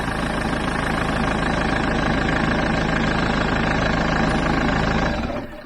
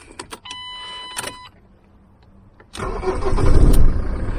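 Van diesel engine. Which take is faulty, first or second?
first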